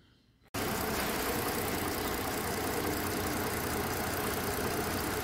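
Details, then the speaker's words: Mercedes-Benz with codes P0300, P2090, P0353: steady, even idle with no stumble and smooth consistent tone; engine running cleanly. "pero ya el carro está trabajando pues de maravilla"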